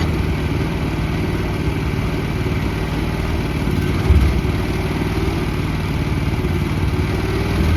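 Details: 2024 FF Industrial FF13 mini excavator, Briggs & Stratton petrol engine: steady, even low drone holding its speed with no knocks or misses; normal, healthy running.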